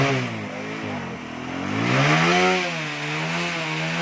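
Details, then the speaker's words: TVS Apache RTR 180/160 single-cylinder, after repair of an electrical current problem: it runs with a steady buzz, rising and falling smoothly with the throttle; running normally. A welding fix to prevent a further short is still pending. "तो bike start हो चुकी है।"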